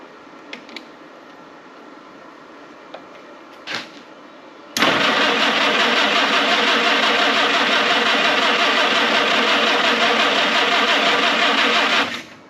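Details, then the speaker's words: Historic Ford Willys Jeep, sat unused many years, manual choke: after clicks the starter cranks steadily at nearly three turns a second for seven seconds but the engine never fires; crank, no start. "Well, it's cranking over. See if we can even do it."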